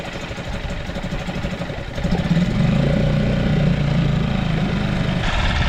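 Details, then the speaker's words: Outboard motor with good spark and compression, on fresh fuel: fires after about two seconds of cranking, then settles into a steady, even putter once warmed slightly. Normal idle. "Oh. Well, that's a pretty good pretty good idle. I think she just needed to warm up a little bit."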